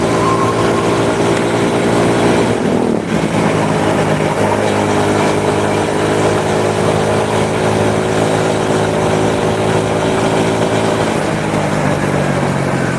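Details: Honda Supra motorcycle shipped in by cargo in a box, after workshop overhaul of a badly damaged engine; revving and holding steady, tone rising and falling smoothly, no rattle or knock: normal running.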